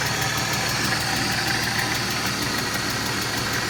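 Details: 1995 BMW E36 M3 S50 inline-six idling with quick, even, sharp tick about three a second over engine hum; valvetrain tick, lifters suspected.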